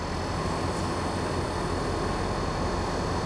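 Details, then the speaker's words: Even low hum with airy fan rush and faint whine, no knocks: compressor and fan of a 12/24V off-grid air conditioner on a 1987 Mercedes-Benz Unimog 1300L camper, heard from inside, running normally; closing the window blocks the noise. "can hear how loud the compressor is and the fan. Oh, the sound goes away. That's nice. So it's not too loud."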